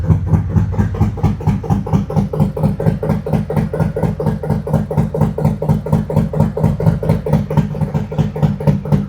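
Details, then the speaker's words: 2025 Harley-Davidson Road Glide 117 Gen 2, 802 miles, Stage 2 with Cycle-Rama CR484 cam, ThunderMax tune, Khrome Werks slip-on mufflers, after install: deep lumpy potato-potato idle about two beats a second, steady and even. "Nice tone on those Chrome Works mufflers. Really nice. Sounds good on it."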